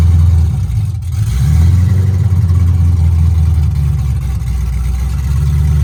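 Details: C5 Corvette drift car build, first start after fitting O2 sensors and a new battery: deep, steady low rumble with an even beat and no knocks or ticks; the engine runs smoothly.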